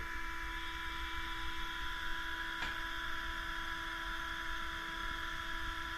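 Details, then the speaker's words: Case 305 at key-on after a second fuel filter change: steady electric hum with a high whine and no engine running. Fuel pump priming normally. "You might be able to hear the fuel pump hum a little bit. Oh, okay, there it's humming."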